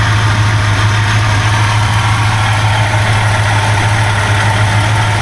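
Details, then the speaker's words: 1971 Buick GS 350, a former non-runner started for the first time in years: steady, loud idle with a low drone and a faint front whirr. Owner suspects the water pump and hears the fan; a suspected exhaust leak is also noted. "also that water pump might be going out I might be hearing that I know I'm hearing parts of the FR fan"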